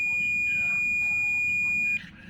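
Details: Samsung 40-inch LED TV that trips the house meter when plugged in, diode checked with multimeter continuity: steady high beep about two seconds, showing that diode is shorted.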